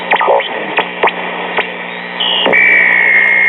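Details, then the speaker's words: Late-1930s Motorola 21A wireless record player used as a transmitter: radio hiss and clicks, then a steady high whistle as the receiver picks up its faint carrier; cartridge dead, platter damaged, the transmitter only somewhat working. "And we actually are transmitting a little bit."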